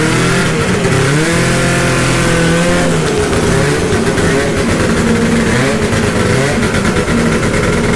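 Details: 1972 Ski-Doo Nordic snowmobile two-stroke, cold start after rebuild, carburetor preliminarily adjusted: raspy buzz rising and falling cleanly with throttle, no stumbling or cutting out, fuelling properly.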